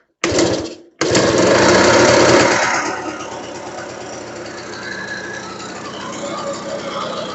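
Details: RC two-stroke engine, hard starting needing fuel primed, after carb check: rough revs sagging to an unsteady idle with a very loud rattling knock; owner unsure if rod or piston, suspects rod plus worn rings; piston slap.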